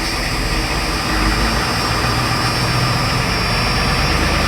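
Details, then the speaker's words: 1989 Ford F-350 7.3L IDI diesel, cold start after sitting a week or two, after glow plug cycles and half pedal, idle raised to about 1,000 rpm: steady deep rumble with even clatter, no misses or knocks; normal cold idle. "So, thing's been sitting for a week or two. The glow plug cycle here. Oh, she's a little cold."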